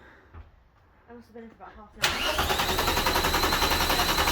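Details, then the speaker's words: Mk2 VW Golf GTI after 90s electrics and new parts: starter cranks steadily at about 3.5 beats per second but never catches. Owner says it's getting no fuel and is unsure if the immobilizer is to blame. Power also cuts out intermittently, suspected corroded battery terminals. "on it's getting no fuel oh it cranks but it's just getting no fuel we've got to suss that out is it the immobilizer or not"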